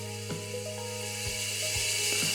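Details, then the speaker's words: Ford Kent 1600 Formula Ford engine (Van Diemen RF96K), cold, unrun for years, leak-down test ~20% loss: steady hiss into crankcase, clicks; leakage all past piston rings, possibly not run in or surface-rusted. "you can really hear it coming out the bottom so it's all piston ring"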